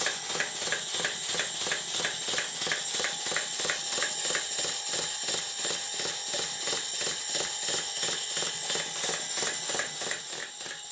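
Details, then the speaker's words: Southworth duplex boiler feed pump on the bench before service, glands blowing, valve timing suspected out: sharp puffing beats about three per second, unevenly spaced, with hissing between strokes. "work the first thing I do notice is that the beats are not even it's possible by messing around with these pums to get them to sound like a small locomotor have a list see what you think"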